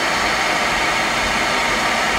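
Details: Bock oil-fired 40-gallon water heater with a Carlin oil burner, after a basement flood and burner motor replacement, thermostat set to 140: a steady, even roar of the burner firing with no pulsing or sputter. Normal operation.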